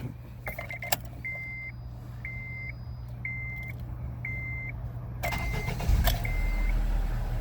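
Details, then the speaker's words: 2008 Acura RDX after fixing a badly cracked intake air duct by the mass airflow sensor that caused rough idle: chime, brief crank, immediate catch and steady, smooth idle with RPM no longer hunting. Normal start and idle. "voila what a change start right up and it's not and it's not doing it"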